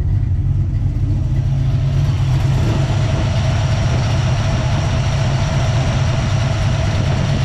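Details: Small-block Ford 306, GT40P heads, Anderson N41 cam, Holley double pumper: deep, heavy, slightly choppy steady idle after mixture-screw tuning; normal cammed idle.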